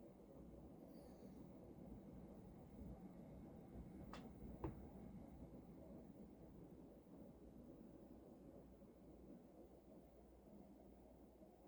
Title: Mitsubishi Heavy industries air con making noise in cooling mode.